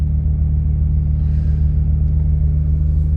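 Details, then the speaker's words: Honda J-series on E85 just after cold start at 43°F, Hondata coolant compensation tables set to 100 and 80 to fix long cranking: steady even low idle with no stumble or hunting; running smoothly. "So you see, guys, you just crank right away with no issues."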